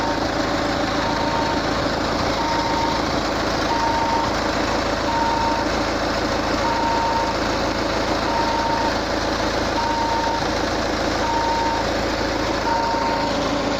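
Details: Peugeot 508 idling with a steady electronic beep about every 1.5 seconds coming from the engine bay; cause unknown. Beeping from engine bay.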